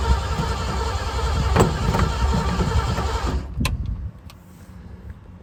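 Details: 1966 Ford Bronco U13, first start attempt with a new, unadjusted and possibly leaking carburetor, before touching the choke: starter spins the engine at about three and a half beats a second for several seconds but it never fires.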